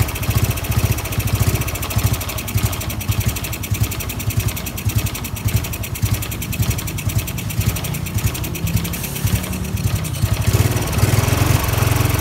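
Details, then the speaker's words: Honda Wave 110i rebuilt from modified back to stock parts (crankshaft, piston, cylinder head, valves, camshaft, stock injector, exhaust): on starting, the single-cylinder runs loud and uneven with rough lumpy pulses; abnormal running, cause not yet found. "แต่มันติดปัญหาอยู่ที่ว่าเวลาเราสตาร์ทเครื่องและดาราศาสตร์เครื่องมันจะมีอาการประมาณนี้นะครับ"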